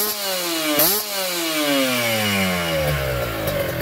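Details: Kawasaki Ninja 2T two-stroke, freshly finished special OB block with re-squished head and power valve (superkip) active: quick blip up, then a smooth fall back to idle with a loud crisp buzz, louder due to a different X-hole; normal revving.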